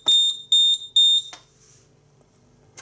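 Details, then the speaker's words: Nugelec type 2A fire alarm panel with its sounder removed: three short, shrill beeps about half a second apart, then quiet; the panel flags a missing-sounder fault. "J'ai enlevé au chiffre parce que j'ai enlevé le diffuseur sonore est absent."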